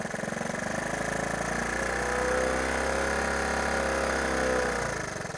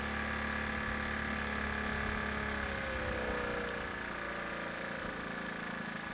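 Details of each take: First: Honda ATC 110 single-cylinder after carburetor cleaning: with choke only cracked open, revs swell and sag without pulling clean, sounding starved of fuel; it dies almost instantly fully off choke but starts readily on choke. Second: Honda ATC 110 barn-find single-cylinder after carburetor bench cleaning, warming up off choke with idle adjusted by screwdriver: a steady, even putter with no hunting, accepts a little throttle though it sputtered slightly when given gas; normal idle.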